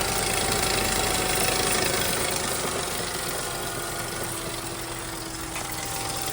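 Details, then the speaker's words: 2009 VW Rabbit, 2.5 five-cylinder 07K, manual, whose vacuum pump was replaced by a dealer, run up with fresh oil while leaking oil: a steady ticking knock nearly four times a second over a harsh idle; fresh oil at the vacuum pump screws. "It doesn't sound good. I'm gonna shut it off."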